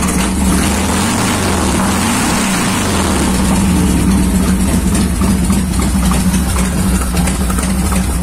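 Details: 1990 Harley Fatboy Evo V-twin after a carburettor clean (clogged jets had stopped it starting): deep loping rumble holding a steady idle without coughing or stalling; runs as it should.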